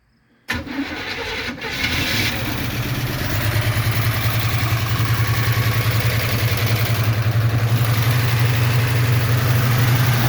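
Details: 1976 Chevy Nova with a 383 V8 on its first run in about 15 years: brief crank, then it catches into a lumpy, pulsing idle at about three beats a second before stalling. It may have burned through all the fuel.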